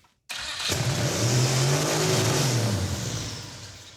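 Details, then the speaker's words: 1974 Mazda RPU mini-truck with a mid-mounted turbocharged 5.3L LS4 V8: the engine fires and shoots straight to a high, held roar without settling back, the throttle stuck open; it also spun backwards in reverse. "throttle stuck open much it's also in Reverse yeah it was spinning backwards but also didn't it rev to the Moon"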